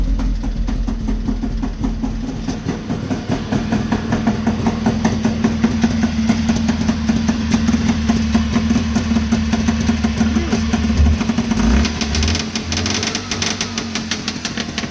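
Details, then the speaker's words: Two-stroke engine started on the choke in neutral with an electric fuel pump, hot 87°F day, open expansion chamber exhausts; it started easily into a loud, fast, crackly burble holding a fairly steady idle with no knock. Normal two-stroke idle. "Oh, yeah. That started up pretty easily."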